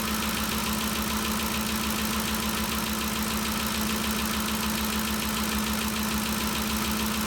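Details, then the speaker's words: 2013 Ford Expedition after valvetrain repair for loud ticking (suspected cam phaser or timing chain): smooth, even idle with steady low pulse and no ticking or tapping over the hiss; noise gone, valvetrain healthy. "the noise is all gone if you remember before we could hear this thing picking real loud uh it sounds real good so i think we got it fixed"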